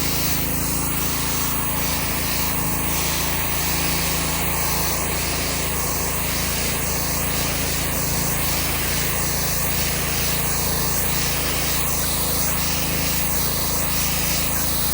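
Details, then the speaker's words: Subaru EA190V small-engine pressure washer, free unit that hadn't run in years, now fitted with a cheap $12 Amazon replacement carburetor: steady drone with rhythmic spray hiss, speed holding even under load while cleaning concrete; running properly after carb swap. "well there you have it YouTube It's Working uh the 13 well 12 13 I don't know with tax shipping 13 bucks uh the carb worked the cheap carb it did the job"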